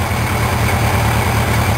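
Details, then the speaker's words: Four-cylinder carbureted engine at idle on a homemade water manometer: a lumpy, uneven idle; carbs out of sync, with cylinder 3 pulling the lowest vacuum and cylinder 1 the highest. Cylinder 1 to be adjusted down. "cylinder 3 has the lowest amount of vacuum cylinder 1 has the highest"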